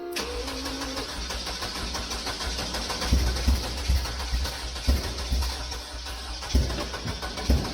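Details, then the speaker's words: VW Beetle with new injectors cranks, then catches and stumbles with irregular thumps and surges, never settling. It floods, with fuel pouring out the back and raw fuel smell, probably because a brand-new injector is stuck. "I think it's getting way too much fuel as it's pouring out the back so what the heck do I have a brand new injector that's stuck"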